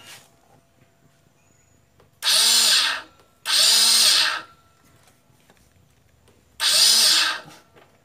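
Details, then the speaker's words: Honda Beat scooter electric starter motor tested off the bike, starter pinion gear slipping: three short bursts of high whirring as it spins free; motor still works normally but sounds somewhat rough. "dinamonya masih bekerja dengan normal tapi bunyinya sudah agak kasar"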